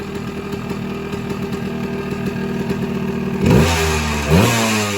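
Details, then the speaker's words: Suzuki PE175 two-stroke, first start after a modified FMF silencer install, heard in the garage. Crackly, even idle, then two sharp revs that climb and drop back cleanly. It doesn't sound much different from before and runs healthy. "So, honestly, sitting here in the garage, it doesn't sound as different"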